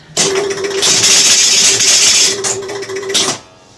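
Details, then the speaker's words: Gottlieb Pro Football pinball machine in for tune-up, switched on: quick burst of relay clatter and steady buzz about three seconds, then settles; resets cleanly and very quickly. "and a reset all right now these reset very quickly"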